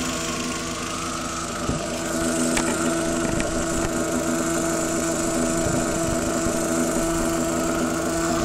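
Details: Audi TT at idle after a new PCV valve and jet pump were fitted, steady droning tone with a few sharp ticks on top; abnormal noise, cause unclear.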